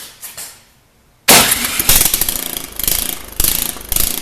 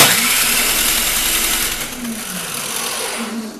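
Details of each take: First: Snow blower small engine running without muffler after spark plug cleaned and reseated, no-start caused by plug not seated right; loud open-exhaust bark firing in steady chug without stalling: normal running. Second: Snow blower, owner testing for spark: one long pull spins freely with a fading whir and no firing or compression beats. Cranks but won't start; owner doubts the spark plug is the cause.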